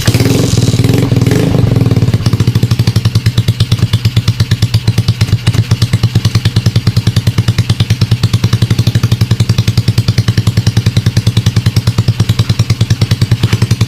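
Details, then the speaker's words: Motorcycle with Smash diaphragm carb converted to piston-type carburetor and NLK open pipe, first start after kick: fast, even open-pipe beat, about three pulses a second, idle speed set somewhat too high, needs lowering. "So, ayan na yung unang sound check ni Stacy, mga boss. Medyo mataas yung minor natin."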